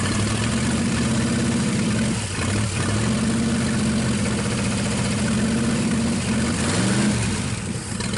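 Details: 1963 Pontiac 389 V8 at first start after long storage, running on 2-cycle gas, powered via jump box: deep, steady V8 burble with a couple of brief throttle blips; normal idle.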